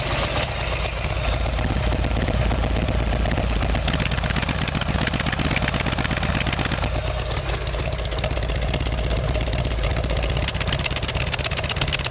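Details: Evolution Sportster V-twin after a carburetor fix: even loping idle at about four firing beats a second with no pops or backfires; the earlier backfiring was likely from the plugs.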